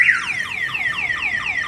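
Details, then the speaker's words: Viper 5706V alarm on a Chevy Silverado, locked and struck hard: a loud siren sweeping down in pitch about three times a second, steady and repeating; the shock sensor has tripped the alarm. "the other way is if it's locked and somebody wants to hit this hard enough let me see if we can get it to uh go off let me double check my light is on it just depends on the impact it's gonna go off"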